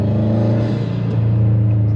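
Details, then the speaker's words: Subaru STI with a new Exedy twin clutch kit, still breaking in, driven gently around the block: a low steady rumble with no bearing whir. A slight clutch sputter is heard just at engagement, then it fades. Normal clutch operation. "so far i don't hear no bearing noises um they did say that the clutch in itself was going to be a little bit loud i do hear i do hear the clutch a little bit"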